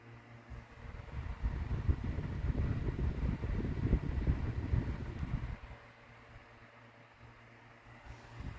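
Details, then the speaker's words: Late-1980s Taiwanese Cool-Breeze 6-inch (15CM) two-speed personal desk fan, recently oiled, on low: quiet soft hum and gentle air rush, no rattles or scraping, then drops away; normal low-speed running. "Definitely put this one to use this summer. Turn it to low."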